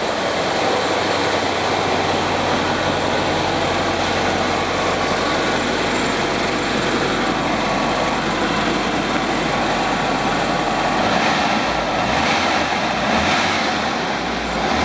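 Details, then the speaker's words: Low-km 2004 Mexican VW Beetle Ultima Edicion, air-cooled, Digifant ECU, factory immobilizer removed, unused for a couple of years and needing a tune-up. Steady, even idle with constant clatter and no misses or knocks; runs normally. "And so what I'm gonna do, I'm gonna start it and we'll listen to it run and look at the temperature and all that stuff."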